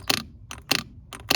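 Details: 1993 Mercedes 190 idle air control valve, removed from the engine: three short buzzing clicks about 0.6 s apart as it steps and moves as it should.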